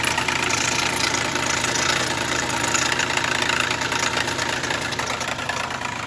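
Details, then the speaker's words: 2009 Dodge Charger SE 2.7 V6, in for a no-start (timing issue, water and oil mixing), cam sensor removed, idling with a harsh gravelly rumble and hiss from failing water pump bearings; water dripping underneath, water pump replacement planned. "The engine sounds pretty good if you can hear past the bad water pump bearings."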